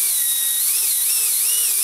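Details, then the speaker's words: Micro ducted fan (EDF) on a servo tester on the bench, tweezers held against it to amplify vibration: high whine wobbling in pitch with faint buzz, strong shaking felt; unbalanced fan rotor vibration before balancing. "like when I do this I can feel this shaking like crazy against my fingertip it's giving me um pins and needles type"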